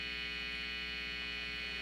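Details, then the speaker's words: Telecaster through an amp with the master volume at four: a steady mains hum and bright hiss that mostly goes away when the bridge or pots are touched. The bridge is ungrounded; the fix is a ground wire from the bridge to the pot. "uh I have the the master volume at four so if you listen to it you hear the hissing and if I touch the bridge and I touch the tone that hissing or if I touch the the volume that hissing pretty much goes away"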